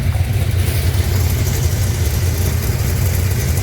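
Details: Gen 2 LT1 V8 (1994-97) with an aftermarket cam but otherwise stock motor, throttle body, intake and heads, after replacing the leaking oil pressure sending unit: deep, even idle with a steady low rumble, no knocks, ticks or misses, no leaks; healthy.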